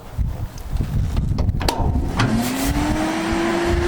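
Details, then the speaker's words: Restored International Harvester TD-7 Series C bulldozer diesel, out of gear, after restoration: deep even diesel rumble with fan tone climbing smoothly as revs rise, no knocks or rattles; healthy engine. "And I like the sound of that fan. Keep it cool."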